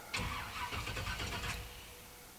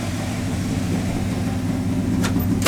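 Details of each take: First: 1985 Chevrolet Monte Carlo SS, 350 V8, after flood, original mini starter: one short ~1.5 s cranking burst, no firing, building oil pressure; engine turns freely so no hydrolock. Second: 1985 Chevrolet Monte Carlo SS 350 V8, unstarted for over a month after a flood, idling to warm up to operating temperature, with smoke from a suspected leaking valve cover gasket. A steady, even low rumble with no knocks or misses; it sounds healthy.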